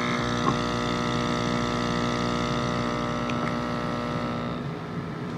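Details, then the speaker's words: Active Aqua hydroponics air pump after a fix for weak airflow using scissors, a Phillips screwdriver and a zip tie: a steady mains-frequency buzz with even tone and no rattle, fading quieter at the end. Running normally on low. "it's on low you can barely hear it max I got here from [Music] very simple fix"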